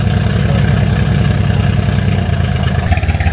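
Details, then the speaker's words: Mercedes W205 C63S AMG at idle: deep, lumpy, uneven pulse that keeps stumbling and runs very weirdly; misfire from a vacuum leak. "I think that has to do with a minor mechanical. I have no idea. It's running very weirdly. What is going on with this car, bro?"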